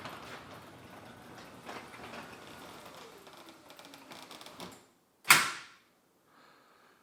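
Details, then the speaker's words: Garage door with opener after installing Green Hinges: travels with a soft steady hum and only light chatter, then shuts with a solid thud; constant chatter before is much reduced. "So honestly, one thing that I noticed right off the bat is I don't hear the rattling as much when the garage door is going up and down. Before, it would constantly kind of sound like a chatter the entire time."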